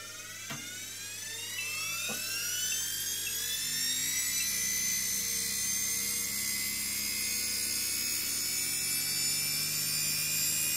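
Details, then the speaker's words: Series-wound DC motor regen-braking test rig, motors sped up to generate about 60 V DC: clean, even whine climbing smoothly in pitch, no knocks or rubbing; motors running freely and normally. "right so let's speed up our motors so we're generating about sixty volts DC"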